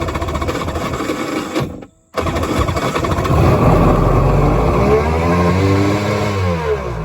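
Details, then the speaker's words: Polaris Virage jet ski two-stroke after sitting one to two months uncranked: cranking, a short gap, then it catches and revs up and down cleanly; starts and runs normally. "I'm going to go ahead and crank this one up and let you see it crank. See what the display does when I crank it."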